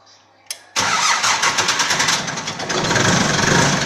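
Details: Balkancar diesel forklift loader after repair with rebuilt engine, clutch, brakes and running gear: brief cranking, then it catches quickly and settles into a steady, even clatter without stumbling; clean normal cold start.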